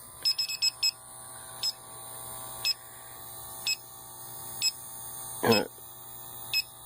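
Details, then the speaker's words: Home AC indoor evaporator coil checked with an electronic leak detector, blower on and compressor running: shrill chirps about once a second, bunching up near the coil. A refrigerant leak is confirmed in the coil. "seems to be picking it up mostly right around there in the coil now with the blower on and the compressor running you should be able to pick it up pretty good"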